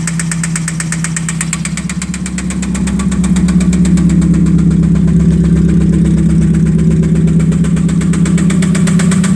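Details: 1991 spec Mazda Miata: steady regular knock about 160 per minute over idle, rising slightly as revs pick up; oil pressure still good, source undiagnosed.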